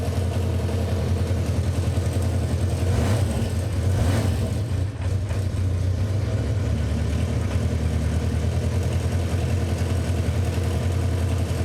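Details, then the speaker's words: 1977 Honda CB400 Four after cold start on fast idle: even, steady low burble with no misses, now firing on all four cylinders. Normal idle. "I need to probably put it back not sure we're on all cylinders but now we are"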